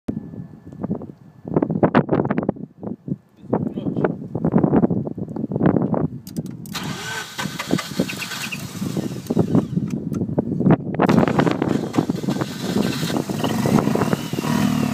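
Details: Mazda RX-8 rotary after new coils, plugs, wires and MAF sensor: cranks and fires unevenly in bursts, then runs rough under a hiss; owner unsure whether misfire or bad catalytic converter.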